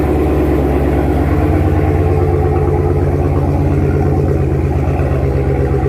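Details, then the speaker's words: After relocating the MBRP race exhaust modules and their brackets, blamed for the rattle: smooth even low idle, steady rumble, at the speed where vibration was worst, no exhaust rattle or buzz; fixed, normal idle. "so you see how the idle came down here is where the vibrations will be the worst right around where it is right now that's where it usually was the loudness and the most uh most noticeable but you see we don't hear it"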